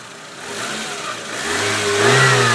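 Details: VAZ 2110 1.6 8-valve petrol, 64,629 km: light ticking knock over idle quickening as revs rise; camshaft axial end play, gone after replacement.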